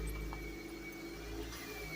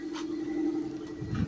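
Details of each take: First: 1996 Toyota Corolla AE110 petrol engine idling just after start, with a rough-idle history: thin high whistle slowly falling in pitch. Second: 1996 Toyota Corolla AE110, 212k km, idling cool shortly after a morning start, in Drive with AC on; even steady drone, idle smooth, though owner says it shakes roughly when hot midday despite throttle body replacement.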